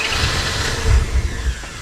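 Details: Mazda RX-8 rotary, abandoned and not started in a long time, possibly flooded: starter churns unevenly, a couple of weak firing puffs with heavy smoke, never catches; crew attempting to de-flood with accelerator pressed.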